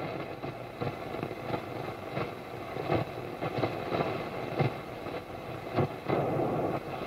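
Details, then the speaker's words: Rare CCRadioSW AM/FM/SW radio on its telescopic antenna in a workshop, tuning shortwave around 5 MHz: hissy static with a sharp crackling pulse about ninety a minute. Loud tuning noise worse on some frequencies; cause unknown, owner suspects aging resistors and capacitors. "Now, the problem I noticed, and it gets worse depending on what frequency you're on shortwave, is the the tuning noise when you're tuning either PLL radio or a DSP is sometimes noticeably loud."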